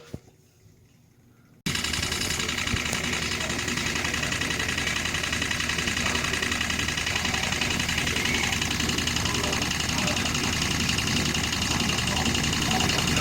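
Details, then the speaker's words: Bathroom exhaust fan switched on gives a loud, steady rattling "da-da-da" drone; suspected damaged or dust-stiffened motor bearing or worn motor part; fixed cheaply without replacing the fan. "환풍기 에서 따 다 다 다 다 다 다 다 다 큰 소리 요기 고요 아프게 해서 달라 살 판단한 소리가 나요"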